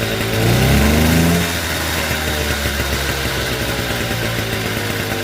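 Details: Motobécane AV42S moped, original setup, after hot-start fault fixed with new complete ignition coil and metal plug cap; catches and revs briefly, then steady even buzzing idle without misfires or stumbles; normal running.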